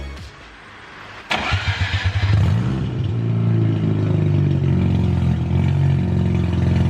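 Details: BMW E36 ute with a 13B rotary, first start after rewiring: cranks, catches and barks into a loud, raw, buzzing idle with sharp blips; far too loud on an open header with no muffler, one to be welded on.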